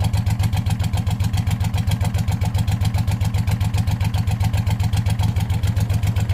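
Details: Hot rod tractor race mower go-kart, hood off, small engine at idle: sharp regular ticking about 220 per minute over a lumpy idle, the puffing tick of a known exhaust leak; slight knocky sound considered normal for this engine type.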